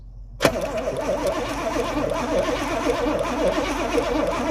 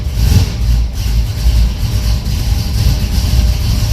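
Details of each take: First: 1982 Pontiac Trans Am Crossfire Injection V8, parked 30 years: steady rhythmic cranking, never catches, 60 lbs oil pressure, injectors heard clicking but no fuel because fuel pump not working. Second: 1982 Pontiac Trans Am Crossfire Injection, parked 30 years, cammed engine, cold-blooded at first start: deep choppy loping idle with heavy low thumps, healthy cammed sound.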